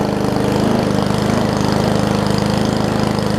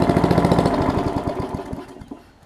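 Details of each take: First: Murray push mower with Briggs Classic engine, governor spring apparently missing, throttle pulled out by hand for higher rpm: loud, even, fast firing beat, steady pitch, no misses or knocks; running smoothly at raised rpm. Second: Briggs Classic engine from sat-out Murray push mower, good compression, oil in cylinder and wetting the plug on first start: uneven, lumpy firing that slows and stumbles before dying out; rough running from oil fouling.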